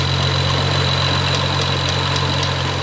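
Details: 2011 BMW 335i convertible, N55 petrol engine idling with a faint uneven light knock three to four times a second over the hum, louder from underneath; first suspected hydraulic pump or engine damage, traced to a faulty belt tensioner.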